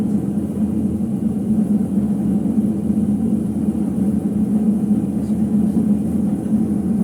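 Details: Ipso HF 65 commercial washer in final spin: steady, heavy low rumble droning with no clean hum on top, from bad drum bearings.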